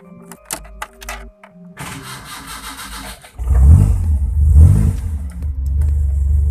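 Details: Toyota Corolla DX with points ignition, after fitting a motorcycle CDI ignition temporarily: a few clicks, starter cranks about a second and a half, engine catches and revs cleanly in smooth swells; starts fine.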